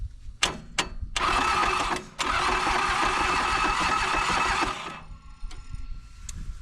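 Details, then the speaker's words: Toro Groundsmaster 223D diesel mower abandoned for decades, cranking at half throttle: starter drags the engine over slowly and unevenly for several seconds with no fire; slow cranking, low compression no-start, stuck rings suspected. "Yeah, it's not looking good for this thing. We'll let that starter rest. I'm going to go ahead and hook a jump starter to it so we can get it spinning over a little bit faster. Does seem like it's spinning pretty slow."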